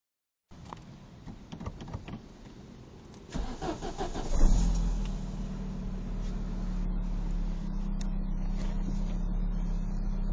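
Engine cranks and catches, then settles to a steady idle with a faint even ticking; something sounds off, cause unclear.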